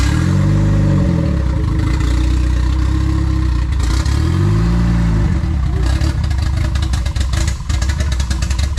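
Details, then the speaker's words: Boosted FWD Honda EG hatch, first startup on a new base map after ECU and wiring fixes. Engine catches and runs evenly, with two smooth rev rises and falls over a steady idle, no misfires or knocking; running healthy. "Oh, that was good though. That was good. It's alive. It's alive. Damn, guys. Hey, that's one thing about the Honda. Somehow they, no matter how much long they sit, they kick on right away."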